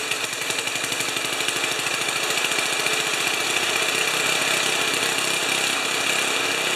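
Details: 1973 Tecumseh snow blower engine, first run after carburetor reinstall, on choke. Fast, crisp single-cylinder popping at a steady rate with bright mechanical clatter; normal running.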